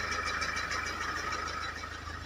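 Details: 2012 Mahindra XUV500 diesel with rat-chewed wiring repaired and ECM unlocked, previously cranking but no start: starts, then quiet, even idle with steady low pulse and light clatter, no stumbles; runs fine now.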